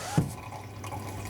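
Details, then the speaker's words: DIY overflow on a Fluval Shaker 252 marine tank draining into the sump. After reducing the output flow to raise the water level in the downpipe, only a soft, steady trickle with one small drip remains, no gurgling or surging; quiet, acceptable overflow noise. "so you can hear there is still a little trickle going over that but that's within my tolerance of noise"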